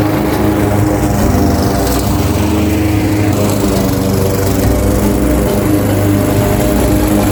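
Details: Craftsman 21-inch mower, 5.5 hp Honda GCV160, cutting grass at height level two after service: steady, even drone with constant pitch holding firm under load, no surging or knocking; healthy, fully functioning, nothing technically wrong.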